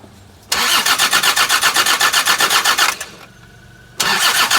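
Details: Land Rover Td5 diesel: fast even starter churn at about four beats a second, pauses, cranks again, never catches; engine turns over but won't fire, crank no start.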